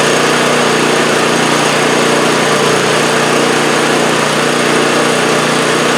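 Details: 2015 MTD snowblower small engine, which came in surging, now holds a steady, even hum at constant speed with no rise and fall in revs after the work: running smoothly.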